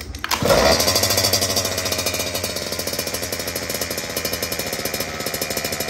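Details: Restored Goped Sport scooter with brand-new Zenoah G320 engine, freshly fueled and primed, first start: fires on one pull, revs sharply, then settles to a crisp, buzzy, even idle with no misses; healthy.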